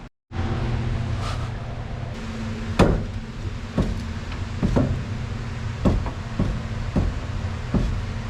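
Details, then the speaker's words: 1973 VW Superbeetle front end with the passenger outer tie rod disconnected, right wheel rocked by hand: sharp, irregular clunks about once a second. The noise seems isolated to the right wheel, and the owner suspects the strut or its bushing. "And now, if I'm moving the right wheel, I think that is the noise I'm looking for."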